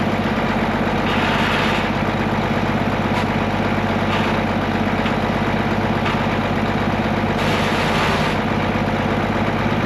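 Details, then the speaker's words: Case 1175 tractor diesel parked 15 years, revived with ether: a steady, even chug at idle with no knocks, misses or hunting, settling in healthy; it won't go into gear, suspected clutch out of adjustment or worn out. "It runs. We got that going for us, and it sounds healthy."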